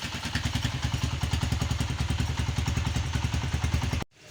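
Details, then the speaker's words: Honda CG 125 single-cylinder after complete engine rebuild and refit (connecting rod had been making noise): steady, even low thumping at idle with no knocks or ticks until shut off; still to be run in; normal idle. "अल्हम्दुलिल्लाह okay की report में कोई engine में extra sound नहीं है बस इसकी running होगी"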